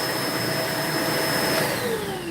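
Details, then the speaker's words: Vacuum with no suction, tested with the hose removed so only the tank, dirty bin and motor run: a smooth, even high motor whine, then a falling pitch as it spins down. That section is fine; normal motor running. "If I don't hear the sound, then I know it's further up. Right? So, let's see. Everything is good. Everything is good."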